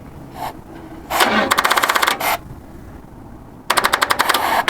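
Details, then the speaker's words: 1953 GMC pickup, hot-wired first start attempt: two short bursts of fast, uneven starter clatter with no firing; the battery lacks charge to crank the engine properly. "oh no not the battery yeah we don't got enough juice in the battery"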